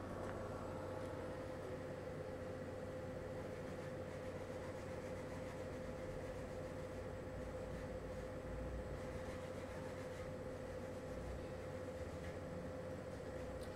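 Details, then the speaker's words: LG portable air conditioner back on low fan (F1) after maximum, with noise reduced by the lower fan speed: a steady hum with one constant mid-pitched tone over soft airflow and no knocks. This is normal running. "já baixou praticamente 59 decibéis e diferença aí só pelo fato de reduzir a velocidade do ventilador"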